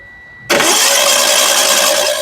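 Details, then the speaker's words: Hyundai Getz under repair after overheating, oil pressure switch test: steady beep runs until the engine fires, then disappears as it runs evenly, meaning oil pressure builds normally. "Kalau bunyi bip tu hilang, maknanya okey."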